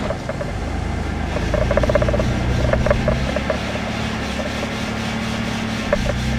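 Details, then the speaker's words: 1992 Ford Explorer, first run after 15 years on propane, in drive with rear wheels spinning: engine revs steadily then the note drops as the automatic upshifts into third and fourth; normal shifting, though propane can't supply enough gas for higher revs. "There, it shifted third, fourth."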